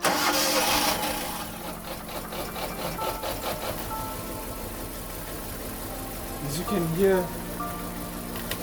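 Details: Hyundai Getz after engine rebuild: quick rev picks up cleanly with no stumble or missing beat, running on all cylinders; no longer a two-cylinder.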